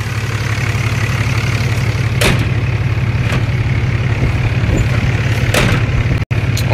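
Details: Dodge Cummins diesel at 254,000 miles, idling after a CCV delete using heater hose; a light, loose ticking rides over the low rumble, rockers out of adjustment chattering; valve rocker chatter at idle.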